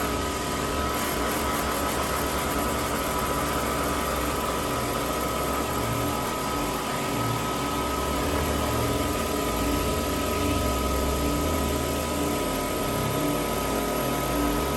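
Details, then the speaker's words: Laboratory shaker table running a 3 to 100 Hz sinusoidal sweep, audio sped up about 5 times: steady, even roar like an airplane preparing for takeoff, faint hum, no knocks or rattles; control signal flat, operating normally. "It sounds like an airplane almost getting ready to take off, and that's the sound of the change in frequency."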